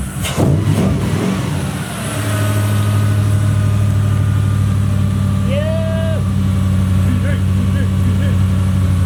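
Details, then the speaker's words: 1UZ-FE V8 in a Mazda RX-7 FC, previously hard to start; fuel pump power was cutting out during cranking and the pump is now hardwired to the battery. Brief crank, quick catch, then steady, even V8 idle: normal start and idle. "Fuel pump issue. There we go. V8 is sorted. Actually starts up real nicely now."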